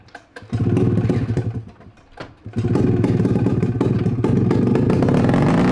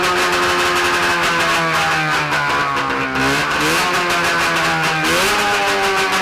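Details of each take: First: Free 670cc two-stroke Bombardier snowmobile engine from an early-90s Arctic Cat: runs hard, drops out abruptly, then catches and revs on; cuts out when exhaust is hooked up, kill switch not working, cause not yet found. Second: 670cc Bombardier two-stroke twin snowmobile engine (early-90s Arctic Cat) on a stand with expansion pipes, no muffler: raspy buzz rising and falling with throttle, firing evenly; sounds healthy, though throttle is slow to come down.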